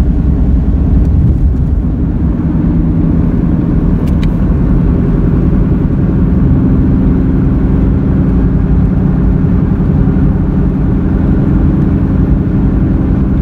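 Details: Car driving, straight and through left and right turns: deep steady droning roar under the car, louder on some turns; front left wheel bearing replaced but sound remains, tires now suspected; road roar while driving.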